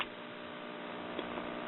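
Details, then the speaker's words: RCA Victor model 96T4 tube radio from 1939 playing AM broadcast on its apparently original 80-plus-year-old main electrolytic filter capacitor. A steady low hum with faint ticks sits under the program. The filter hum comes from the aged capacitor, which is due for replacement. "Now, there's a little bit of filter hum there, and it will get changed, but that's pretty impressive for an 80-plus year old capacitor. It's still somewhat doing its job."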